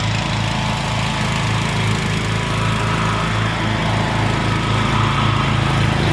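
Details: Rebuilt Troy-Bilt mower cutting grass, after new piston rings and a brand-new carburetor adjusted about half a turn. Strong, steady engine note holding speed with no stumbling or knocking; normal running under load.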